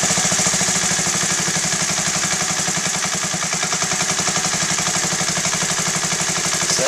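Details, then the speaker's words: Honda Z50A Mini Trail 50 single, freshly rebuilt carb, pilot screw set at best idle: a quick, steady putter of about four beats a second with no stumbling or hunting, so the idle mixture is properly set. "that's it. That's properly set up right there."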